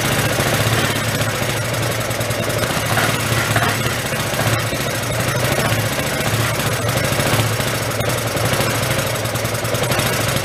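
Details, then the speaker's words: Hyosung Aquila GV250, sat 9 years, running while oil is pushed out of the cylinders: an even, steady thrum held for ten seconds with no misfires or dropouts, and quiet. The suspected bad heads or valves seem fine. Normal running. "Sounds pretty good, actually. I want to run it, get that oil out."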